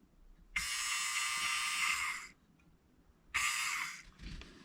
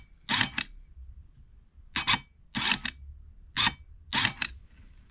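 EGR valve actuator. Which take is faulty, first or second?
first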